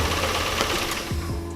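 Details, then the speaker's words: Daihatsu (Terios) started in the morning, sounding suddenly very rough, revved then shut off: quick, even knocking rattle; mechanic judges it an internal engine knock, no DTC history stored, exact cause not yet confirmed. "kalau saya dengar dari ketukannya suaranya itu suara ketukan Mas Jojo jadi ketukan nanti kita bedain antara bunyi internal mesin atau external mesin"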